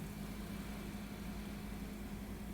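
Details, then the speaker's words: ASUS N750JK laptop after replacing cooling fans that had rattled and hummed: quiet, steady fan whirr with a low even tone, no rattle or vibration; normal fan operation. "the fans sound like they should. You can hear them running, but they're not humming and vibrating."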